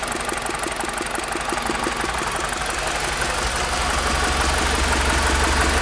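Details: BMW E46 318i engine at steady idle with an even tick about three per second on top, growing slightly louder toward the end; source of the engine noise unclear.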